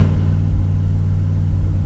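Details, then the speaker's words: 1967 Chevy Camaro small block with FiTech EFI, after an engine pull for an oil leak and replaced distributor: deep, lumpy V8 idle with uneven throb and stumbles; oil pressure good, owner suspects timing or the EFI. "okay well as you can hear we have a little boat motor that's going but it's not leaking oil pressure everything is good that's all good I think it's timing or there's something kind of goofy that we'll have to figure out"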